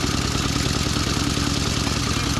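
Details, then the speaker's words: Pre-1919 motorcycle on a rally, after water and dirt in the fuel, rocker cover off: fast, loud mechanical clatter over a rough, uneven idle, rattling badly from the front cylinder; internal failure suspected, not confirmed. "that doesn't sound right. Rattling really badly from the front cylinder. Yeah. I think something bad's happened inside."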